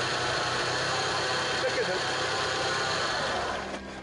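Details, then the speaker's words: Peugeot 406 at idle with AC off: rough, hissing whir that owner suspected came from the power steering pump or alternator, actually the AC compressor clutch bearing, which goes quiet when the AC is switched on. "هذا الصوت اللي يرحي اللي يسمع فيه هو اللي يقول هذا يقول ممكن من الانترناتير يقول ممكن من السيسي هو لا هو من المكيف هذا المكيف"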